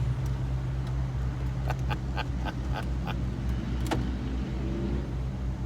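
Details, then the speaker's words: Cadillac XLR folding hardtop opening, taking about 30 seconds to a minute: steady low motor hum with a few light clicks as the roof cycles; normal operation. "this origami of this thing opening the top takes about 30 seconds to a minute or so. But there it is. Bang."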